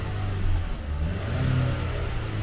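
Deep, smooth engine rumble that swells and eases with a quick blip of the throttle, with no knock or rattle; the engine sounds healthy.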